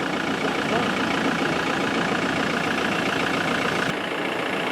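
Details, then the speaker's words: Land Rover Defender diesel after a turbo replacement following a roadside breakdown: steady, even diesel clatter at idle with no knocks, misses or whistles; sounds healthy after the repair. "I like that I like it that sounds a lot better and we're off"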